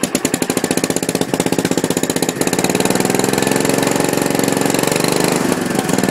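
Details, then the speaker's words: Gravely 450 tractor with a Kohler K241 single on its first start at night, after rewiring and a new coil, with the fuel pump leaking gas. Rough run with a hard, sharp knock on every beat, about four a second. Owner thinks the rod sounds loud, unconfirmed. "but it does run the rod sounds pretty loud which i don't really like that sound"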